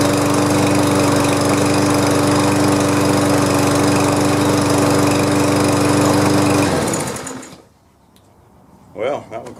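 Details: Push mower from a batch of free mowers getting basic off-season maintenance fires and holds a steady, even drone for several seconds, then shuts off cleanly; sounds healthy and smooth.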